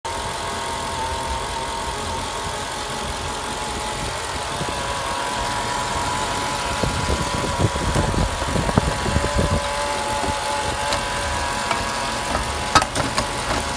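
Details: Mercedes E55 AMG at idle with a thin, steady high whine over the engine and some light knocks; owner wonders if the harmonic balancer is the cause; source not confirmed.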